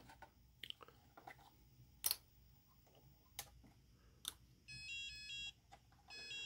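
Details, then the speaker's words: Transmitter of a custom-built 1/16 RC Sherman tank (Clark board, SBS) after the tank is shut off: a repeating warbling high beep in two short bursts warning the radio no longer receives signal from the tank, which is normal. "and you'll hear that signal which means that the the radio isn't receiving signal anymore from the tank which is fine and you press both buttons simultaneously and it shuts the radio off"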